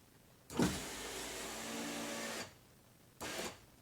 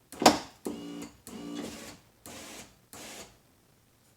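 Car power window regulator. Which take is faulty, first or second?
second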